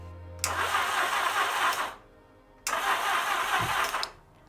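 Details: Yamaha XJ650 during Motogadget M-Unit starter and ignition wiring, weak spark confirmed, fuel not yet supplied: two bursts of steady starter cranking about a second and a half each, engine never catches; cranks without firing.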